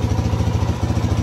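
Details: 2006 Suzuki DRZ400S single, bought cheap as an intermittent non-starter, now running while the idle speed is adjusted; even steady thump at low idle, evenly spaced pulses, no misses or rattle; normal idle.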